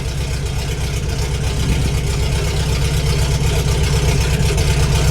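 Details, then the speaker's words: 1988 VW Vanagon with muffler and catalytic converter cut off (owner suspected they were clogged, causing engine issues; muffler core found loose): loud, deep, raw throbbing with a steady quick pulse and little muffling; open-pipe race-car sound. "Yeah, boy. Sounds like a race car. That's awesome."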